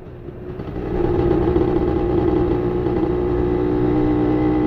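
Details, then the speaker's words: Yamaha 125ZR two-stroke: steady droning note lacking crispness as it pulls, sounding choked and flat; performance dropped, exhaust suspected restricted and due for cleaning. "Daripada segi bunyi, uh, performance, uh, memang drop lah sikit."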